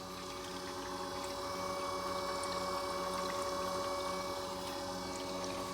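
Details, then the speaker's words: 2000 HP Pontiac GTO, blown engine, electric water pump tested after reassembly and front seal change, checking for leaks: steady even electric hum with constant whine, no rattles or surging; normal electric water pump running. "All right, let's check the water pump. Make sure we ain't got no leaks. All right, it's running."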